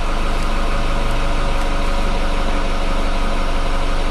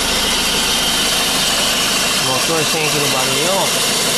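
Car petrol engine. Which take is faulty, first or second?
first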